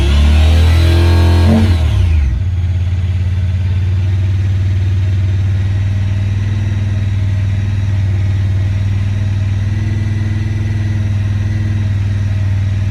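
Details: 2017 Honda Pioneer 1000-5: a blip settles into a fast, lumpy idle hanging too high; code 9-2 (IACT). Cause: factory over-crimped wires broken inside insulation at the IACV plug on the throttle body under the air box; fixed by replacing the plug and re-crimping.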